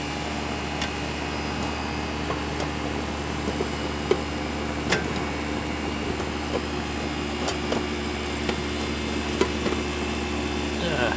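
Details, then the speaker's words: Home air conditioner condenser running after the owner replaced the capacitor; before the repair it needed a stick to start: even, steady hum and smooth fan rush, no rattles or clicking, repair successful. "So, I'm pretty sure we got... It sounds like the compressor. I can hear it down there, I think. Anyhow, I'm going to call this a success."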